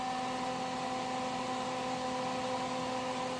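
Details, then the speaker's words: 1950 Mercury M47 rat truck, newly wired Derale 13700 transmission cooler fan on the first toggle with key on: loud constant airy whoosh with a steady unwavering hum, "like a Dyson vacuum"; fan running normally. "Sounds like a Dyson vacuum going on back there. That means it's gonna cool, right?"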